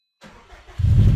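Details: Subaru after AEM 340 fuel pump install, primed then cranked hard on a weak battery: brief crank, engine catches and settles into a steady low rumble without stumbling; clean start and healthy idle.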